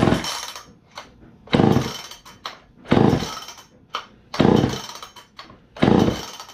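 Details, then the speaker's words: Poulan 306A chainsaw that sat for years, first run after carburetor rebuild and cleaning: surges in uneven bursts and sags between them, running rough and bogging even at idle, still needing tuning. "it runs but it doesn't sound too good you can hear it's kind of bogging even at idle so we'll see how it goes"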